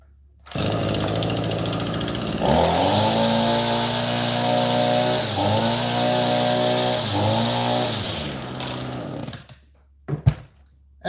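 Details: Echo SRM-225 two-stroke string trimmer after overhaul with new spark plug, carburetor, fuel lines, fuel filter and air filter base: quick one-pull start, then a steady high buzzing run with clean throttle changes, no sputter or surging; running well.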